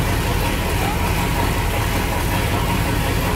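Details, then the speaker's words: 1976 Chevrolet Corvette engine, reportedly blown at 120 mph, running at idle: heavy, rough idle with deep thumping in time with the crank, also heard when revved; knocking badly, likely a worn rod bearing. "oh did you hear it did you hear the knock that's pretty bad"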